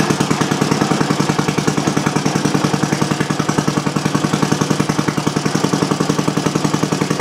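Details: Old single-cylinder Briggs & Stratton on bench with new Champion J8C plug and external coil, not warmed up: quick even popping about three and a half beats a second, dry exhaust bark, steady rhythm; normal running.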